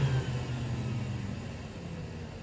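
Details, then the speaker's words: Rainbow E2 Gold two-speed vacuum before rebuild: lower motor bearing dried out and lost its grease, motor fan area caked in dust; steady low drone with coarse uneven rumble, sounding rough. "these vacuums are loud they're not they're not quiet at all and they don't make the prettiest sound but once the once the lower bearing starts to dry out on it and lose its grease they start to sound pretty rough and unfortunately that's what I'm dealing with"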